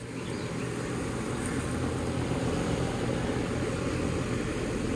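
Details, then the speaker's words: Lennox dual-fuel system outdoor unit after ECM blower motor replacement, running with a steady even low rumble and whoosh, no knocks or squeals; heating right away, running normally. "I do hear it humming inside so let's power it up and see what we get"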